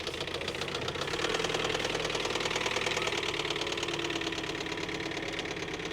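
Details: 2021 Ford Transit diesel van bought as a non-runner, with three-quarters of a tank of diesel, first drive pulling forward; uneven knocking roughly three per second rides over the engine note as it moves: a knocking engine.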